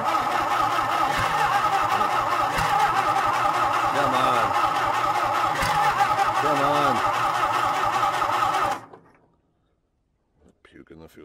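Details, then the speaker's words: John Deere, cold winter start with fuel dumping from the carb: steady cranking at about four compression strokes a second for nearly nine seconds, never firing. The owner guesses water in the points; it started more easily weeks earlier. "there's obviously more going on here that meets the eye Jes wasn't this hard to started a week ago or a couple weeks ago when I tried to start it"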